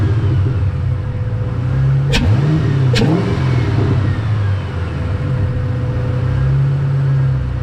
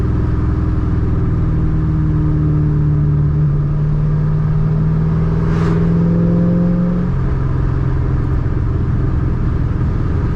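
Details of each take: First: Ford Mustang 3-valve, down on power: intake found completely clogged, started with air intake removed. Idle hunts up and down, sags, wants to stall; MAP unhappy, smells of gas; rough idle with intake off. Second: Ford Mustang 3-valve after removing a restrictor, driving: deep steady drone with clear intake rush swelling with throttle then settling, breathing freely; normal intake sound.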